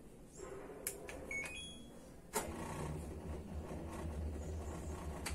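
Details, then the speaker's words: Washing machine set to spin; a click, then a low steady hum with the drum never picking up speed; the motor fails to start because of a power supply fault, not a fault in the washer itself. "quizás pudieran observar que la lavadora no es capaz de iniciar pero esto en sí no es daño en la lavadora"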